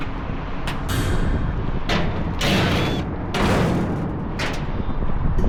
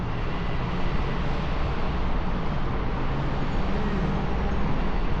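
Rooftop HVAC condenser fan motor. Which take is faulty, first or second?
first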